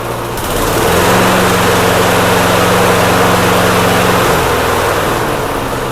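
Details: Snapper mower that had a leaking fuel tank, after carburetor jets were cleaned: single cylinder settles into an even, steady low drone with no misses or surging; normal running.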